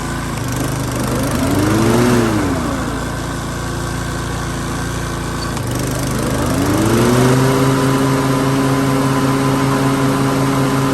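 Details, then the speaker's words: Toro TimeMaster 30" mower after replacing the broken blade brake cable (part 133-1998) that had stopped the blades engaging. With the handle pulled and the blades engaged, the engine sags under load, then holds a steady hum; working properly. "Put the handle, it should engage the blades, and you should see that spin."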